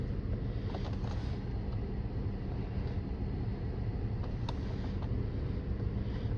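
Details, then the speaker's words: 2012 Dodge Charger 3.6 V6 idling with a low, uneven, lumpy beat; cylinder 2 (bank 2) misfire count climbing despite new ignition coil and pigtail connector, cylinder 4 shows two misfires likely from cylinder 2; burned intake valve. "as you can see cylinder 2 has some misfires the count is going up that's the only one I can see"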